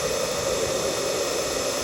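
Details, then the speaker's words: Pioneer Superflow pool pump with replacement motor, despite a new capacitor two weeks ago: constant, even hum with steady hiss, no grinding, rattling or surging; motor running normally. "I put a new capacitor on there 2 weeks ago, and it's still doing it. You can hear the motor's running all right."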